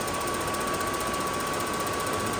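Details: RV furnace with the sail switch closure simulated during diagnosis: fast even ticking like a sewing machine over a faint steady whine; the igniter sparks as it should during the light-off attempt.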